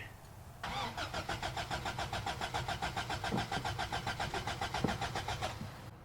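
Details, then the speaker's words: Toyota pickup 22RE 4-cylinder, 5-speed, freshly bought, battery fitted: steady even starter cranking about three and a half turns per second for five seconds, no firing; crank no start, owner suspects fuel pump not running. "Yeah, it does. I don't think it's gonna start, but that thing turns over."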